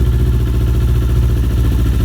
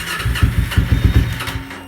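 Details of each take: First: Kawasaki Ninja 250R twin idling from cold after new fuel pump fitted, low fuel: steady, even low drone, no knocks, misses or surging; idles cleanly. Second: Kawasaki Ninja 250R, ice-cold start with low fuel after new fuel pump fitted: about six quick cranking chuffs, no firing; crank no start, owner thinks new pump just needs to prime a couple of times.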